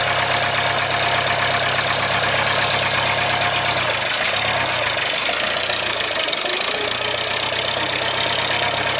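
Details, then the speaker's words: 1975 International Harvester 574 four-cylinder, cold start next morning on choke after main jet soldered and redrilled to size 62: slightly lumpy idle with a brief stumble, still a bit rich with a little black smoke, though improved. "so it still seems to be a bit on the rich side I'll talk to my neighbor see if we can Source an oem jet but it's definitely better than you know after the soldering definitely happier so it's usable it's still blowing a little black smoke"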